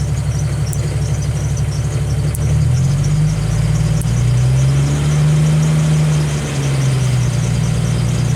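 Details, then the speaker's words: Jeep Wrangler YJ with a newly installed hand throttle cable: idle rises to a steady drone, then sags back toward idle because the lever doesn't hold RPM; fixed by snugging the lever's adjustment screw. "notice how the lever didn't maintain the RPM where I stopped at."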